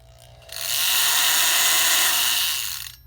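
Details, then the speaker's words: Milwaukee flexible scraper blade on an oscillating multi-tool: blade too thin so mounting teeth prevent the washer and bolt clamping it, leaving play; harsh hissing rattle over the tool buzz, excessive shaking, blade chattering loose. "So it has a lot of play to it. I don't know if you can hear that. And when you turn it on, it causes it to shake way too much, and it creates a terrible noise."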